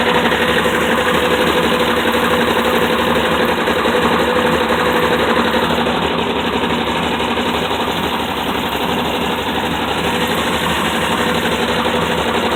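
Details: Dodge Dart engine: steady, fairly even knock about four per second over the running engine and exhaust drone; internal knock of unknown origin.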